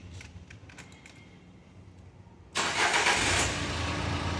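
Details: Duster after major engine service and suspension work, starting for road test: faint key jingles, short crank catching at once, then smooth steady idle; healthy engine.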